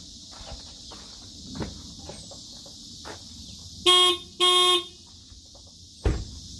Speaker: You don't understand what that sounds like in a truck this size. It's just awful.